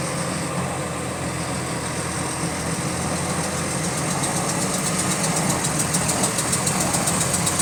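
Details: GAL WVL358 bus on route 486: steady diesel drone with fast, uneven ticking about three to four per second, rising in sync with engine speed; cause unknown. Repetitive clicking in time with engine speed.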